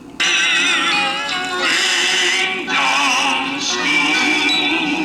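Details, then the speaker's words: 1978 Fisher-Price children's record player, thrift-store find, playing a vintage kiddie record before restoration: pitch slowly sags and rises, serious speed wow; owner suspects it needs disassembly and lubrication, unconfirmed. "see some serious uh wow to it so uh I'm thinking thing needs to be disassembled and maybe lubricated up"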